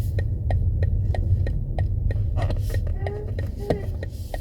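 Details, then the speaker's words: BMW M340i turning at junctions: sharp ticks about three per second over low road rumble while turning; owner suspects the steering column, unconfirmed. Noise when turning steering. "again, reversing out the same junction, turning left. I think maybe this sound's coming from the steering column."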